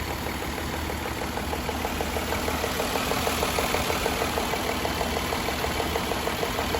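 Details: 2014 Jaguar XJL Portfolio at idle: light, fairly regular tick about ninety-some times a minute over the engine hum; cause not identified.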